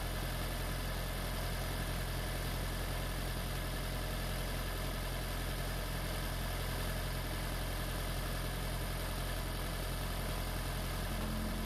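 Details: Freshly swapped 2016 4th-gen engine in a 2012 Prius V, just after first start, running in maintenance mode on jack stands before coolant air purge: a steady, even low idle with a smooth beat and no knocks or misses; a normal idle.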